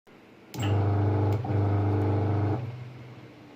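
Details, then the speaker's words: Fully automatic washing machine tested without PCB on direct 220VAC, main motor via the purple connector, run clockwise and anticlockwise: clean start, steady hum about two seconds, smooth wind-down, no grinding. Motor is good. "सबसे पहले purple connector जिस पर main motor की दोनों तारें हैं, क्लॉकवाइज और anti clockwise check करें। अब एंटी क्लॉकवाइज चेक करें।"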